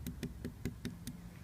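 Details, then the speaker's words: Tap test on the rudder of a 25-year-old yacht during a pre-purchase survey: six evenly spaced taps about five per second, later ones dull and soft, marking a hollow void behind osmosis blisters. "the soft or void that's appeared there as a result of the blister."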